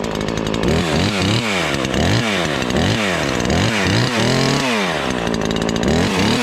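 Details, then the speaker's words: Ported Husqvarna 543XP chainsaw on first test cuts: revs up and down between cuts with a burbling, blubbery note under load instead of a clean scream; carburetor mixture way rich, still four-stroking, main jet to be leaned. "It's definitely way rich. That's okay. Still four-stroking even though you get under a good load, so we can still lean it a little bit."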